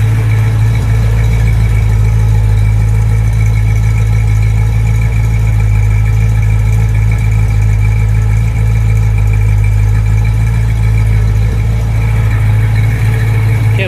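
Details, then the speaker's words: Freshly broken-in Pontiac GTO V8 with old rusty stock Midas mufflers fitted temporarily, idling after valve adjustment (timing roughly six degrees): deep, steady burble with even lope, no misses or knocks; normal healthy idle. "all right this has stock mufflers on it they're like for midas just big old rusty old mufflers that i put on to start it up so here's what it sounds"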